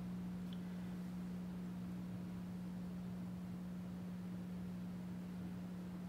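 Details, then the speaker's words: Sprague capacitor analyzer humming loudly during a leakage test on a 450 V-rated, 61-year-old Mallory electrolytic capacitor from a 1960 Fender Tweed Bassman; the cap leaks almost completely, power factor near 30. "you can hear it's humming a lot more on this one now see it's leaking almost completely"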